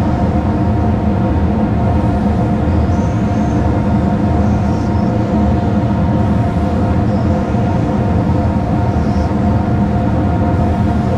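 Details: Whole-shop sawmill dust collector blower running on a phase converter with the airlock on: steady even roar and a faint whistle at the closed blast gate, with no rattles or surging. Normal running.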